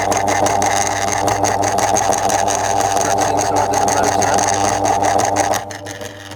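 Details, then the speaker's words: 2002 Lloytron F029 9-inch desk fan, poorly running motor with little grease: harsh rough drone with uneven buzz, half growling, easing near the end; oscillation still works, owner suspects motor partly losing connection. "I know. He's half growling. Half half growling. Half struggling to properly cooperate and operate."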